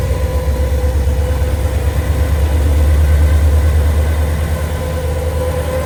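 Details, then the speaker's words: 1962 Chevrolet Bel Air sedan, factory inline six with Powerglide automatic and upgraded aluminum radiator, just fired up: deep, even low hum at about three pulses a second, no ticks or knocks; super smooth, healthy idle. "Okay. Super smooth."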